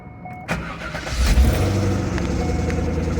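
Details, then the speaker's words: C5 Corvette LS1 V8 cranks and catches into rough idle with a faint thin squeal heard right at start. "So we're going to start the car. You're going to hear this squeal right away."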